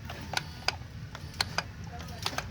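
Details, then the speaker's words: Toyota 2JZ-GTE VVTi engine run on the floor with a temporary fuel cup and pump before fitting to a MK3 Supra: at key-on, engine off, sharp irregular throttle body clicks over a quiet hum, normal. "guys hear that it's a beautiful sound letting you know that it's working"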